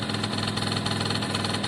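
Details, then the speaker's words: Italjet Formula 50cc two-stroke, electric choke now off, premix oil added to the petrol: a steady, even burbling idle with no misses or rattles. A little smoke is normal; running healthy. "So give it a minute. Sounds pretty healthy to me at the moment. I put some oil in with the petrol, so quite normal to have a bit of smoke. Sounds very healthy to me."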